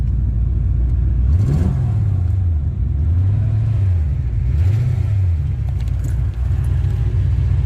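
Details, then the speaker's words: Corvette convertible, 350 cubic inch 5.7 V8, 245 hp, oil pressure 64-65, coolant low: deep even V8 idle with one clean throttle blip rising and settling smoothly; normal idle and rev. "She sounds good. She sounds damn good."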